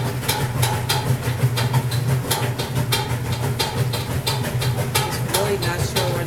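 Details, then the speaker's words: Roper washer on the rinse cycle after a long soak with laundry: motor hums low and steady while sharp, unevenly spaced knocks strike about three times a second; source unknown. "I'm going to turn it on so you can hear it. I had some laundry in it from yesterday, so I got a really nice long soak. You can hear that knocking sound."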